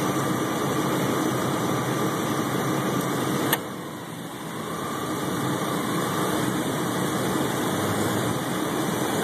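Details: 1997 Chevy Blazer at idle with electrical loads (radio, heater, lights): the alternator gives a faint high whine, then a sharp click as the pulleys and belt slow and the idle sags almost to stalling before recovering. The RPM also fluctuates on the highway.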